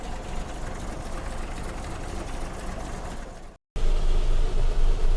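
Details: Toyota FJ40 after overheating repair (fan clutch, thermostat, coolant), idling during cooling-system bleed with heater on hottest: steady even idle, smooth low rumble, regular firing pulses, no knocks or squeals; normal idle.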